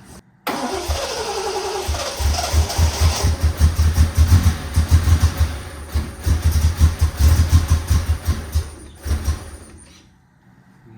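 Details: 1972 Triumph TR6 that had idled at 200–300 rpm and died on throttle, fuel poured into the carbs and timing altered: starter churns at a steady uneven beat for several seconds but it never catches; cranks but won't start.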